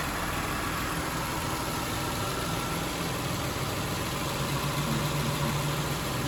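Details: 2007 Toyota Highlander 3MZ-FE V6 at steady idle with a loose, uneven rattling knock ticking a few times a second; source undetermined, and the owner wonders about an exhaust leak.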